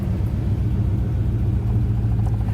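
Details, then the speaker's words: 1989 Avanti convertible, cold engine below about 160°F: deep idle that sags low, with the vacuum gauge dropping, then picks back up without throttle; suspected vacuum, EGR or idle valve issue, smooths out once warm. "And you hear how it's idling down real low? And it picks up. And you can watch the vacuum gauge. And the vacuum gauge drops right down."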